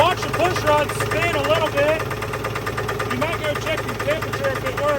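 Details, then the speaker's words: 1983 GMC S15 Jimmy 2.8L, unrun 15+ years with passenger valve cover left off, first start without added fuel: rough idle with uneven tapping knock under engine noise; owner thinks it's a definite rod knock, unsure if PB blaster related. "I don't know if it's the PB or not but I think that's a definite Rod off"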